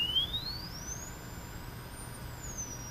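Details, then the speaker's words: Emerson R-156 electrodynamic speaker with new field coil, original cone and cardboard gasket, field coil powered: test tone sweeps up to around 6,000 Hz then steps down through 4000, 3000, 2000, 1500 to 1000 Hz, clean with no buzz or rattle; normal. "you may not be able to hear that but I still can that's somewhere around 6,000 Hertz 4,000 3000 2000 in 1500 and back to 1000"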